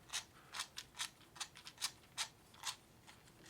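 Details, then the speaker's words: Newly built Tamiya Super Sabre RC chassis gearbox (kit 58066), turned by hand before the motor is fitted: irregular dry clicks, about seventy a minute, slightly noisy but built right; normal gearbox operation. "yeah so that gearbox feels good it's a little bit noisy but um kind of is what it is I know it's built right"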